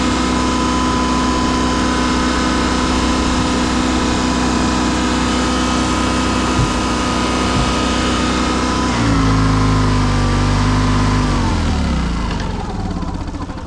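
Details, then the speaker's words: Honda EV6010 generator in a '76 GMC Transmode motorhome drones steadily then sags and dies; repeatedly starts and stalls, blows fuel, owner suspects carburetor, likely leaking needle and seat. "I start it, it starts, dies, starts, dies, starts, dies."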